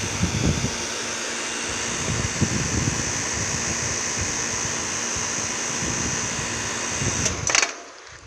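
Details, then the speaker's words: Carrier 38CKB and 38CKC condensers in cool mode, possibly with Millennium scroll compressors: steady compressor hum and fan rush, then a brief clatter and quick wind-down on a normal shutdown. Both units made the same shutdown sound. "Judging by the shutdown it had, these both had the same exact shutdown sound."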